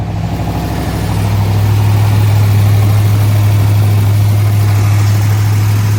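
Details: 1965 Corvette L76 327/365hp V8, fresh body-off restoration under 30 miles, fully cold after about two weeks unstarted: fast, steady high idle with a light, even solid-lifter tick and no misses; healthy.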